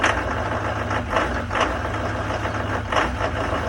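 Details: 2019 Duramax diesel truck, cold start at about 15 below zero; owner says it has done this since new: idles unevenly with a lumpy beat and surging clatter about every half second; rough idle, cause unknown.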